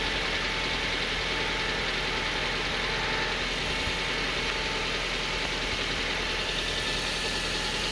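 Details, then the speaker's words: 2011 Kia Soul that screeched from a badly damaged A/C compressor belt, after replacing the A/C and alternator belts and adjusting tension: steady, even idle hum with no squeal. "Check the operation of belts by checking alignment, tension adjustment and noises."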